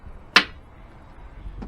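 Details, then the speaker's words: Range Rover L405 lower tailgate: one sharp click from the lower tailgate actuator, which stalls instead of lifting; it opens too slowly and sometimes fails to come down. "and if we put this up independently you'll notice that stops and you this clicking sound again so you hear that"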